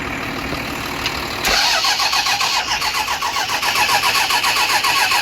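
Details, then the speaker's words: 12-valve diesel truck, fuel lines off: steady starter cranking with no firing. The injection P-pump is suspected worn, putting out too little to atomize the fuel or open the injectors. "yeah we're gonna pretty much say that the p-pump shot it's putting out a little bit but not enough to atomize the fuel or get the injec"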